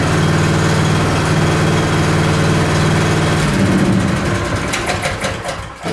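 Steady, even engine beat holds smoothly with no misses or knocks, then winds down cleanly; a healthy small engine running cold.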